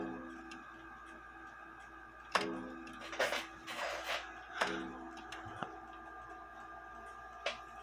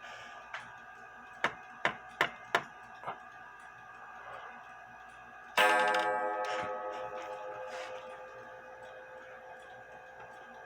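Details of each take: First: Junghans bakers clock gong hammer after fitting a new leather tip, glued in and not yet dried or formed: several single gong strikes, each a sharp hit with short clear ring, no rattle or clunk; normal strike. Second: Junghans bakers clock strike: a run of sharp clicks, then a hard, bright, long-ringing metallic clang as the gong hammer, its leather tip fallen off, strikes the gong bare; the tip needs replacing.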